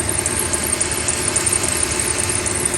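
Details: 2007 Toyota Tundra 4.7L idling after the leaking power steering coolant pipe was replaced and the fluid refilled; steady, even idle with a soft low rumble, no knocks or squeals, engine and power steering running fine.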